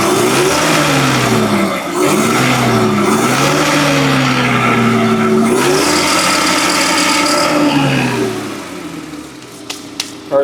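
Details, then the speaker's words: Forklift engine after replacing the corroded number 3 coil-on-plug ignition coil that was misfiring; check engine light gone. Picks up cleanly and revs evenly with a steady firing beat and no stumble or miss, then shuts down. "Alright, let's try it out real quick. See if it runs good. The check engine light went away."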